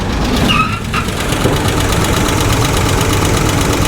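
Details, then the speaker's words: 1985 GMC Sierra V8 idling, with a quick, light ticking over the low rumble; lifter tap heard from the passenger side, also a possible misfire on one cylinder. "Yeah, that's a lifter tap, and it's coming from this side."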